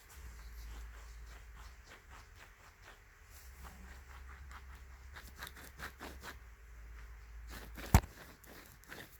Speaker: it's a that's pretty gritty I'd like to dig one of these seals out and see what it looks like on the inside that's pretty that's pretty dry